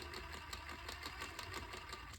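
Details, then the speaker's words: Axial SCX10 Pro 1/10 RC crawler on a stand, wheels spinning: light regular ticking over the motor whir, something loose clicking in the drivetrain; cause not yet found. "you hear it clicking so I'm going to take the uh front drive shaft out first"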